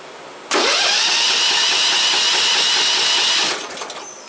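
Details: Freshly installed engine on a modified ride-on mower, battery just wired, throttle and choke cables not yet finished: brief crank, catches and runs steady about three seconds before cutting out; normal start.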